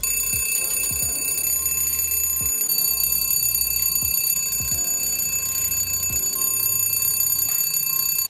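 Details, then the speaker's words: Dash 8-300 (DHC8-314) engine fire detection/smoke test: loud, steady electric bell ringing continuously with clear high tones. Fire warning bell working properly. "Dans ce test-là, on a la première partie qu'on peut faire sur tous les modèles de Dash 8. On va vérifier si notre poignée puis notre horn fonctionnent avec la lumière."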